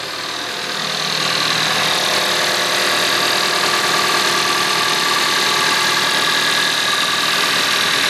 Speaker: Let's try an engine cold start for both the Mercedes as well as the Toyota now. Take a listen to that unit purr.